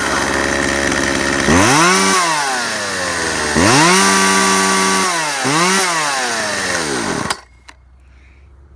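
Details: Chainsaw after new primer bulb, new fuel lines and cleaning: picks up crisply and revs out three times, holds clean at top speed, then drops back smoothly; runs healthy.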